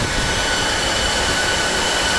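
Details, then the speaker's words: Dell PowerEdge 2950 II server just powered up with lid off; loud steady airy roar with constant high whirr, fans at full speed during startup self-check; normal. "we're actually currently on full fan speed at the moment so that's what it sounds like"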